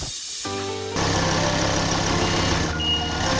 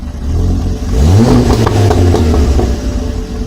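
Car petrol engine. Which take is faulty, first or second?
second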